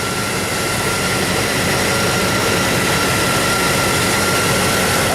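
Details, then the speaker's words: 1999 Chevy Tahoe V8 after P1345 (crank/cam position sensor) repair, one part pulled out and the other put right back in exactly in its place: smooth, steady idle with no misses, surging or whine; normal idle; owner notes a possible exhaust leak at the tail. "you'd never know this thing had a problem I mean it's running just as smooth as silk no whining or complaining at"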